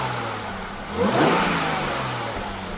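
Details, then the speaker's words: Aston Martin DBS resto-mod, supercharged engine on aftermarket Emerald ECU, warming up and idling smoothly after early rough running (suspected sticky rings), blipped for revs: thin supercharger whine rising with rpm; normal. "Even get a little supercharger wine there."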